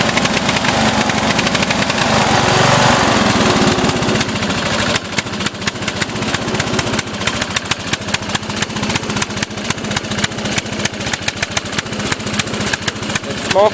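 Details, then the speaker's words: Offroad lawnmower engine, mixture screw fully in yet still getting too much fuel, black smoke: fast idle, firing slightly uneven and lumpy; running rich, cause not pinned down, owner considering another carburetor. "I got this uh mixed year screw screwed all the way in and it's still getting too much fuel and I I just don't know what to do now"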